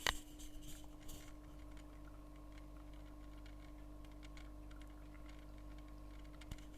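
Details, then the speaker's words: Oase BioMaster Thermo 850 aquarium filter system, microphone at the lily pipe outflow: faint irregular light ticks over a steady pump hum from a loose clip-on piece moved by water flow; securing it stops the noise. "Evet sesi duydunuz böyle bir Tıkırtı sesi gibi o ses ne diyecek olursanız da şöyle bir cımbız yardımıyla size göstereceğim Cımbızın ucunun değdiği yerde bir aparat takılı Arkadaşlar şu oynayan şey o da suyun sirkülasyonu yla hareket ediyor ve ses geliyor"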